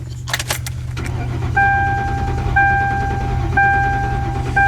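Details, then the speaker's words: V8 cranking with pedal floored on a cold morning (~30°F) to clear flood and build oil pressure before starting: steady low starter churn without firing, chime pinging about once a second; normal, then starts quickly. "so you want to roll that motor over and get some oil flow and this that and the other before you ever try to start it floor"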